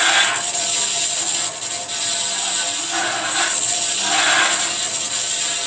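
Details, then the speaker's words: Powermatic 87 bandsaw with 1-inch blade after loose main drive pulley fixed and blade guides adjusted; steady airy hiss with thin high whistle like the guides lightly rubbing the blade; owner suspects belt needs seasoning; rubbing noise. "like they are rubbing may just take a little bit to get the belt seasoned"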